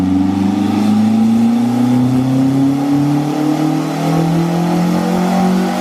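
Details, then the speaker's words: Frankenvette (Chevette-based hybrid) on the dyno during MegaSquirt tuning, full-load pull: note climbs steadily and evenly for six seconds with no stumble or dip; the earlier fault did not recur and it pulled through. "It did not do it. And it pulled through it. It pulled through it."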